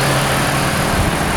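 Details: Engine idling with AC running after knock repair: steady, even idle with AC hum, no knocking or tapping; knock gone, sounds healthy.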